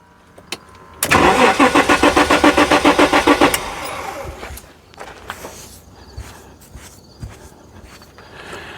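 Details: 1994 Jaguar XJ6 stored several months, crank-no-start: with a booster charger raising voltage, a noid light on an injector and a spark tester on the coil wire, a brisk, even starter churn runs about three seconds without firing; no spark.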